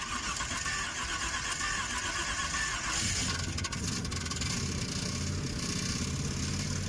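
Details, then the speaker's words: Car that made a crunch and then wouldn't move: harsh metallic grind as the engine cranks and catches, the starter pinion rubbing on the flywheel. "Mechanic's friend called him and said her car made a crunch sound and now it won't move. I guess the starter motor will self-clearance itself eventually, but it's definitely not ideal."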